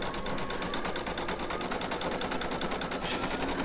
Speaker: you'll hear that that little clunk that's because it's going over the previous embroidery so the first time it did i was like oh no what's wrong